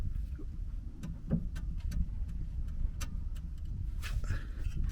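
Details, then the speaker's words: Vauxhall Agila B offside front wishbone joint at the hub, levered by hand: irregular sharp clunks and ticks over low rumble from play in the worn joint, causing knocking while driving. "I don't know if you can hear the banging there. And that's the knocking sound I'm getting"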